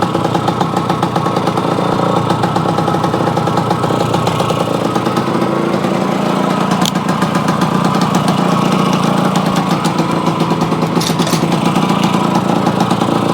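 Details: Yamaha AT-1 converted to CT-1, first start-up after rewiring, oil pump priming and carburetor fix, choke on, pre-mix fuel plus oil pump; crisp, even two-stroke buzz picking up cleanly when blipped, no misfire or rattle, normal.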